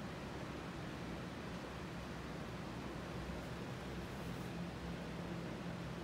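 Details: Emerson Strato-Jet ceiling fan, new in box, on full high power after a quick spin-up: low, steady rush of air with no click or grinding, though it shakes a little; moves a tremendous amount of air, normal running.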